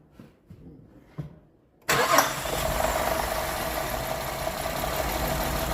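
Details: 2008 Cadillac STS cranks a few pulses, catches and idles slightly uneven and lumpy; running in-cylinder pressure waveform captured with pressure transducer, cam and crank signals also scoped, confirming incorrect cam timing.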